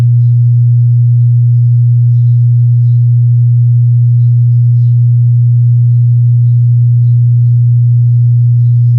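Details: Wordstar WBL 160 Plus active speaker, opened and powered with the temperature probe on the output ICs. A constant, deep low hum with no signal; one IC heats rapidly, showing a shorted amplifier output chip.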